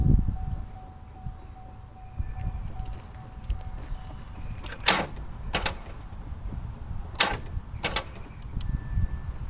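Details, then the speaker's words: 2010 Chevrolet Impala after running out of fuel and refuelling (puff of smoke from tailpipe): turning the key gives only a few heavy single clunks/clicks about a second apart, no cranking; no crank when starting. "it wouldn't turn over i mean it was doing this clicking this sound"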